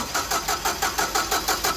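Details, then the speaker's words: Caterpillar forklift with basic EMCO fuel system, hard start: steady cranking at about six pulses a second that never fires; customer could only start it by pumping the pedal; vacuum leak being checked with brake cleaner while cranking. "so it wouldn't start sometimes the only way the customer is able to start it is by pumping up the pedal a couple times but even then it's still a hard start"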